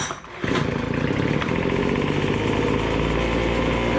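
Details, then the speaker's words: MTD Bolens BL125 two-stroke leaf blower after carburetor repair for no-start and bogging (primed 10 times, carb adjusted): catches within a second, then a steady, even buzz with no bogging or surging; running normally. "you guys can [Applause] hear it's running perfect now let's try her out"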